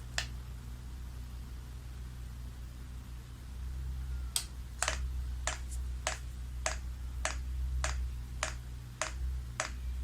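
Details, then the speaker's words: Chinese diesel heater with rotary controller, priming by pressing and holding the off button, only the pump running for about 5 minutes: sharp, even clicks about every 0.6 seconds over a low hum. Normal fuel dosing pump priming. "And you can hear that pump clicking. Now all that's happening is the pump only, and it's priming."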